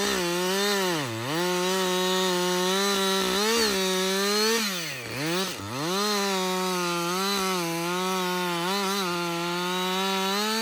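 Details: Husqvarna 562XP two-stroke chainsaw, back from the dealer after being reflashed for dying when hot and failing to start, now hot after long continuous cutting: high clean scream bogging smoothly into each cut and recovering quickly; normal running under load.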